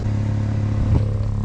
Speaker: see if the exhaust goes locked off and we can hear where the leaks are coming from